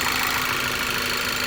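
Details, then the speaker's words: 2009 VW CC 2.0T at idle with fluctuating, near-stalling rpm and codes P0507, P2015, P2187: steady high whistle and airy hiss coming out of the PCV valve. Its seal was broken, causing a vacuum leak; replacing the PCV valve fixed it. "no whistling sound all that noise is coming right out of this PCV there"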